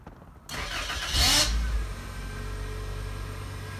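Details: 1999 Toyota Corolla after replacing the fuel sending unit, pump primed by cycling the key: brief crank that catches at once, a short rev flare, then a steady even idle; starts fine.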